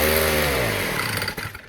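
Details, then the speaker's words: 1960s Fuji Go-Devil folding minibike, freshly rebuilt with the clutch just assembled, small engine: it revs up with a buzzy tone, then stumbles and briefly cuts out under throttle. Owner suspects the choke was still on. "Okay, cropped out a little bit there, but I probably have the choke on."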